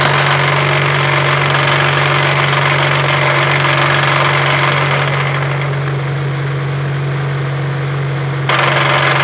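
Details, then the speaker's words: 2008 Honda Civic Si manual, idling in neutral: steady droning hum that fades when clutch pressed and returns on release; suspected bad input shaft bearing, not confirmed. "when I push the clutch in so when I disengage it when I press it down the sound Fades away and someone's saying the way Honda does their input shaft bearings that's a sign that that's bad"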